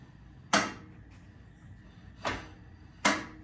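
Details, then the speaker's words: Willys Jeep front differential locker, axle jacked up, wheel turned by hand, no gear oil yet: three sharp separate clicks as the ratchets drop in and release; locker ratcheting normally, louder without oil. "could fill it on them little ratchets you can hear it see here it's full then you get a little push you're dropping into that ratchet that means it's working well front lockers working"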